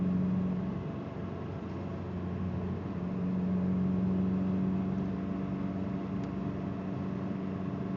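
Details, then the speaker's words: Car driven at light throttle in first gear to keep revs up; a loose timing belt tensioner pulley vibrates below 2,000 rpm. An uneven, stumbling, popping misfire under load sounds over a droning hum; the check-engine light is blinking. "Downshift all the way to first to keep the RPMs up high enough for it not to vibrate on the timing belt. Now I'm misfiring. Pop, pop, pop."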